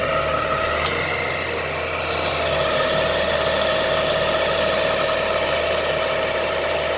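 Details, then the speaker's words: Ford BA/BF Falcon Barra engine at quiet idle before replacement of the ribbed idler and tensioner pulleys; a steady thin whine rings through the belt drive from worn idler pulley bearings. "What I'll do first is let you have a listen to them. They're not in the greatest shape."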